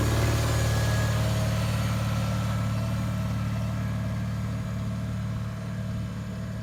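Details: 1974 Bolens HT20 garden tractor on test run after replacing a coil burned out when the ignition was left on after a stall (fuel issue suspected): deep even thump at steady pace, no misses or surging; running smoothly.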